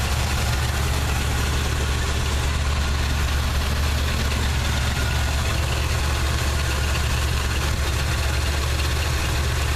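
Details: '79 Chevy truck 350 V8 with automatic choke at idle: a deep, lumpy exhaust beat stumbling now and then from a nagging misfire. Compression and spark plugs look fine, with no oil or fuel fouling.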